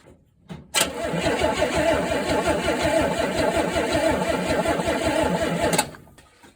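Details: 1964 Pontiac Tempest, first start attempt after sitting three years, points ignition being checked for lazy spark: steady starter churning about three compressions a second for five seconds, never catching; cranks but no start, cause unconfirmed.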